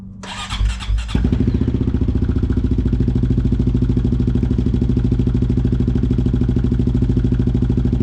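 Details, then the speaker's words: Big Gun exhaust on single-cylinder bike just repacked: short crank, then an even, deep thumping idle, healthy solid exhaust tone, much better than before the overdue repack. "that sounds so much better than before. It's got such a deep tone to it again, like it's brand new again."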